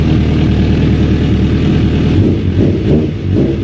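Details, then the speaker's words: 2001 Suzuki Katana 600 after fixing fuel delivery (air in fuel feed line, uncapped vacuum line capped): loud, crisp exhaust picking up cleanly on throttle blips; all four cylinders firing. "Oh, I can tell the difference. 100% running on all 4. Not even a question. 100% running on all 4 cylinders."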